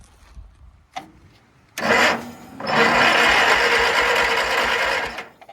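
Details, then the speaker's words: Craftsman GT6000 garden tractor: starter churns the engine with an even chug of compression pulses but it never fires; starter getting hung up and needs replacing; ignition does have power; cranks but will not start. "That sounds like compression. Starter sounds like shit. Probably ain't got no spark."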